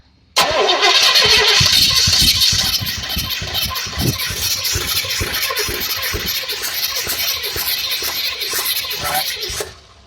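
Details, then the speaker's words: 1982 Cadillac Fleetwood HT4100 with digital fuel injection, no start after a fresh-fuel refill, new plugs, fuel pump and ignition module: steady fast cranking, about three beats a second, for nine seconds without catching; no fuel pressure held after key-off. "now I've changed the ignition module put a another fuel pump in it and this is what I get go ahead"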